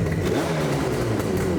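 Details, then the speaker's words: 1979 Yamaha RD400 Daytona Special two-stroke after carbs reinstalled and fuel leaks fixed, cold start on choke, one kick: crisp even buzz rising and falling smoothly with throttle, no misfires; normal two-stroke running. "Choke on. Oh, so nice. That's one one kicker. Wow, she sounds so much better."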